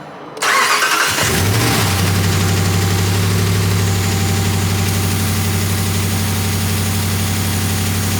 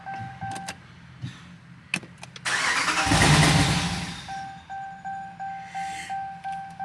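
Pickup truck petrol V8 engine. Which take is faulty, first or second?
second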